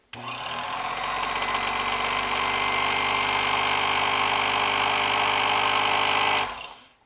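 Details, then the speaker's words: Speedex 9120RM compact key cutting and duplicating machine, final test after motor belt replacement and brush refitted: steady, even motor whir with bright high hum, no slapping, squealing or knocking; belt drive runs smoothly and healthy. "That looks good. There we have it, the replacement belt on a 9120 RM Speedex compact key machine."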